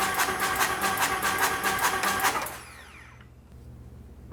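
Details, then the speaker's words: Harley-Davidson chopper engine, fresh build, cranking to build oil pressure with no oil pressure yet: even starter cranking about 2.5 beats per second with light ticks; owner suspects a soft lifter. "Here's some ticking in there. Sounds like I've got a soft lifter already."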